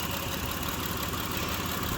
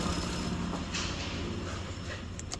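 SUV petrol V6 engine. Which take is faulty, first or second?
first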